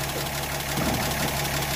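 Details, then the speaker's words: 1937 Pontiac Silver Streak barn find, long sitting, first start after the ignition points were filed: steady, even low idle with regular soft firing pulses and no misses, "purring like a Swiss watch." Normal idle. "I got the throttle got yeah ready yeah sign up them points and she's purring like a Swiss"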